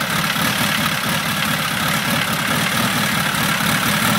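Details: VW stroker engine with Nology ignition, points reset to .018 after closing up to .002, distributor locked down, compression 180 psi: starts instantly and idles steady and even with a low chugging beat, no misses, knocks or hunting; healthy.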